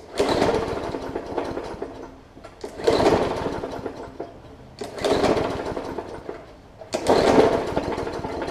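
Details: Hyper Tough Briggs & Stratton OHV push mower, plastic carb, sat over winter on old fuel with water in it, water likely on the plug: four pull-start bursts about two seconds apart, popping and sputtering without catching; hard starting from water in fuel.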